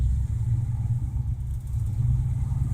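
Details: 1972 Oldsmobile 98, 455 big-block V8, warmed up: deep, even idle firing on all eight cylinders with no misses. The belt squeaks at a certain RPM.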